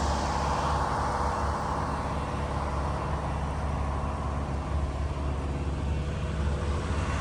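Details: Diesel fire sprinkler pump on its weekly half-hour test, isolation valve closed: a loud, steady diesel drone at constant speed, even and smooth with no knocks or surging; the pump engine runs normally.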